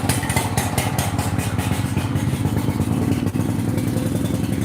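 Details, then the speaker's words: Generator just started after pulling with the choke and gas on, left to sit and run: steady fast chugging with a loose clatter on every beat, sounding like an ice cream maker but running. "Sounds like an ice cream maker, but it does run."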